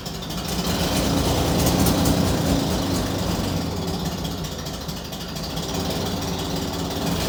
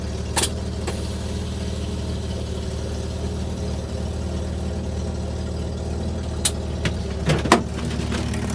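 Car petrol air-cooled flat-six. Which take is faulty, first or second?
first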